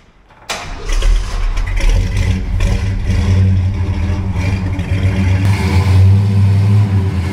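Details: 1964 Ford Galaxie 500 XL, original engine reinstalled, rebuilt carburetor and fresh fuel, exhaust just made quieter, on the lift; cranks, catches at once, deep steady V8 burble, no misfires or ticks; nice and quiet, runs on its own.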